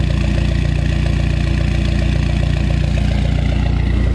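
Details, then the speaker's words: Dodge SRT4 after intake manifold gasket replacement that fixed a large vacuum leak causing misfires. Smooth, even idle at about 950 rpm with no ticks, leaks or stumbles. Owner notes a remaining slight misfire, blaming a fuel pump needing replacement. "so there you have it let's check the idle running about 950 rpms"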